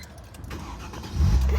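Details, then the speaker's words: 2005 Mercedes ML350, restarted after fuel pump prime; short crank, then a clean catch and firm steady idle with no stumble; normal start. "So everything seems to be doing like it should."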